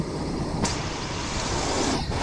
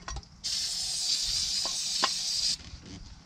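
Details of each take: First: 1979 Ford Pathfinder Quadravan 4x4 V8 just after fitting new carburetor, still needs tune-up and has some vacuum leaks: steady even idle with no miss or knock under wind rush; normal idle. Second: 1979 Ford Pathfinder Quadravan 4x4 with a new carburetor, choke propped open: starter spins the engine in bursts but it never catches; owner thinks it isn't getting fuel, though the old carb's pump used to deliver fuel.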